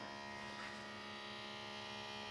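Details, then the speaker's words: Yamaha CDC-625 5-disc CD player trying to open its tray: steady buzzing motor whir with light rattle and no tray movement; motor spins freely because the disc tray belt is broken, fixed by belt replacement. "And you can hear a lot of rattling in there, but nothing's happening in the open mode."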